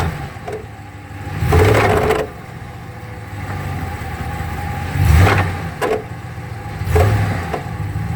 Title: 2015 ram 1500 transfer case noise